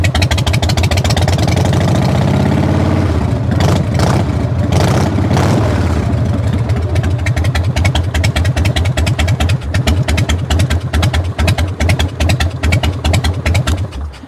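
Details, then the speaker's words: Salvage motorcycle with no mufflers at all and a very sticky throttle: loud open-pipe chugging idle, a brief rev around four seconds, then back to an even beat; sounds fine, normal idle. "I mean, she sounds good. She does. She sounds fine."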